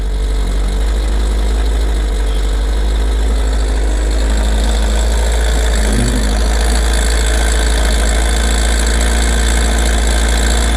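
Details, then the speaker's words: Kawasaki ZR7S four-cylinder, started with the choke after sitting: a loose, uneven rattling chatter at idle, seemingly from mid-cylinder, louder as revs drop and gone at higher rpm; owner suspects the cam chain. Rattle at idle. "そらくね、カムチェーンだと思うんだけど、回転が上がるとノイズが消えるんだけど、ヘッド周りまではね、行ってないと思うんだよね。"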